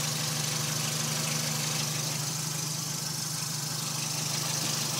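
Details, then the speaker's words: 2005 Dodge Neon four-cylinder idling warm at operating temperature: light, fairly regular tick about three times a second, present since winter and milder in warm weather; owner unsure if valvetrain noise or piston slap. "um i don't know how well that ticking is gonna i don't know if that's his noisy valve train or pitch and slap"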